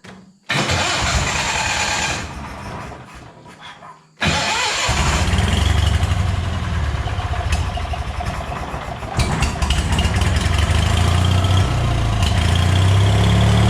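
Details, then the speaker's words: Scrap-yard Hobart welder generator engine, unused for years, restarted after a stray bolt was removed from the fan shroud: fires after a few cranks and runs steady and even with no rattle or scraping. Choke needed half out, so the main jet is clogged. "what i just showed you there was the choke i had to have it halfway pulled out for it to run which will tell you right away that the main jet in the carburetor is clogged so we know the motor seems to be running good"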